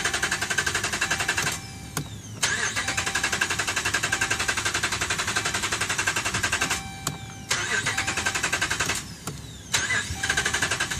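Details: 2011 Dodge Ram, about 75K miles: repeated bursts of steady rapid cranking with short pauses, never catching; crank no start, dealer found defective TIPM (Totally Integrated Power Module), replaced under warranty.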